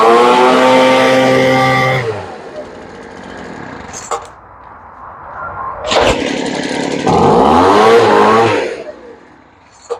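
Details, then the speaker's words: Poulan Pro two-stroke leaf blower that wouldn't start after sitting (wouldn't pull gas on priming, suspected carburetor air leak), after carburetor work and adjustment, started unchoked once cooled: snaps cleanly to a high whine, drops to a smooth idle, revs crisply. "Yep, she's pretty happy. So that's the end of that one."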